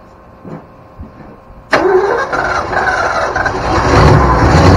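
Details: 1972 Ford Bronco 302 V8, first start in at least 20 years after confirming spark and supplying fuel: a few quiet clicks, then the engine fires abruptly, catches and settles into a rough but running idle that builds slightly; now a runner.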